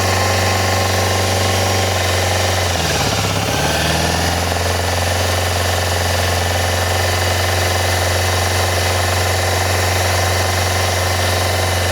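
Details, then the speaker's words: Yamaha FZR400 four-cylinder after a carb rebuild kit, a new No. 4 carb, a battery and a little fuel: it idles evenly after a brief blip with no misfire or knocking and sounds healthy until the small amount of fuel runs out. "She sounds healthy. That'd be the end of the little bit of fuel."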